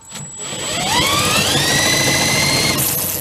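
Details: Small engine on a 7-foot mini speed boat, left sitting with moisture, spun up with a rising whir that levels off but never fires; no spark at a plug grounded to the block, points ignition under the flywheel to be checked next.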